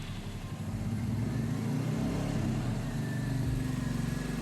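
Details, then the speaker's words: Royal Enfield Meteor about two to three years old with a starting problem, after battery replacement: starts, no malfunction light, steady low thump revving smoothly with no misses or knocks; normal running. "വണ്ടി start ആയിട്ടുണ്ട് ട്ടോ അപ്പൊ വണ്ടി start ആയി mall ഫെക്സ് light ഒന്നുമില്ല"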